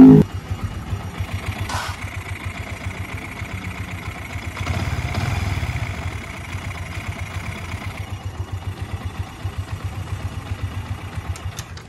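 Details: Yamaha Vixion idling: faint chirpy, mouse-like squeak riding on each beat, present at idle but gone when revved; traced to the water pump, whose cover and interior are very dirty with oil spots.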